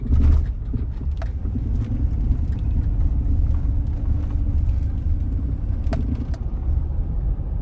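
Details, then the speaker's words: 2002 Chevy Suburban V8, well maintained, driven under 3,000 miles in about two years mostly on highway, heard from the cabin while driving: low even rumble under road noise with no knocks or ticks; smooth, quiet engine running normally. "The V8's nice and smooth. It's just all around a wonderful, wonderful car, a well-kept car. We're very proud of how well we kept this thing. But you can see, I'm gonna stop talking for a little bit so you can hear how quiet the engine is."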